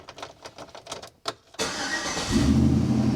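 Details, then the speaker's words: 2008 Chevrolet Silverado that kept killing BCMs, under diagnosis with a thermal camera on the board: quick, even cranking for about 1.5 seconds, then a clean catch and steady run. Starts normally. "now we can crank and run and this is something I I was doing I had somebody my buddy Lewis here he was working the switch well I was watching the thermal camera"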